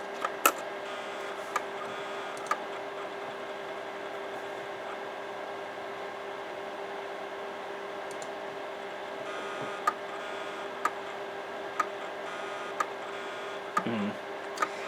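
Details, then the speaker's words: Imation LS-120 SuperDisk drive, failing to read even a regular floppy: sharp head clicks about once a second over a steady hum as it constantly recalibrates, a SuperDisk "click of death"; heads suspected damaged or very dirty. "Well, no, it did eventually manage to get the stats of the disk. But it's recalibrating constantly. This would be equivalent to the iOmega click of death, except in SuperDisk terms."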